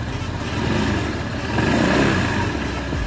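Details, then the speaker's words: Honda PCX 160 scooter after DIY magneto repaint, radiator cover still off: gentle throttle blips lift revs smoothly and fall back with no rattle or knock; normal light revving. "kung biglang may kumalansing dyan, nalalaman na natin agad. Okay, so far okay naman."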